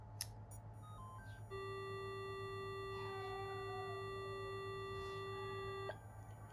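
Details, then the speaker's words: Minelab GPX 4500 metal detector, back from a failed repair elsewhere and worse, with power Mylar strip replaced, heard through a plugged-in amplifier: at switch-on a steady high whistle for about four seconds over a low hum, then cuts out; abnormal power-on tone, cause unclear. "It's come in for repair and it's been elsewhere to be repaired, and the fellow said that it came back worse than what it was."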